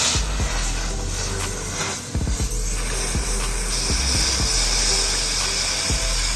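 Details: 100B plasma cutter after repair of no-output, no-pilot-arc fault, test run: steady hissing air-and-arc roar with a few sharp crackles and clicks, running evenly without dropouts. Cutter working normally.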